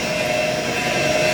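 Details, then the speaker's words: Noisy booster-set pump in boiler plant room, set point 4 bar, PV 4 bar, 53%: loud steady rushing roar with faint fixed whine; doesn't sound healthy, owner suspects it's about to die or needs venting. "okay that pump doesn't sound very healthy probably about to die or vents venting"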